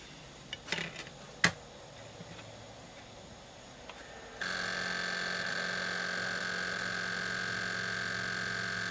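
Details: Sony PS2 Slim SCPH-70012 with a used laser swapped in from another console: a few clicks, then steady high whir of the disc spinning on without settling; drive fails to read.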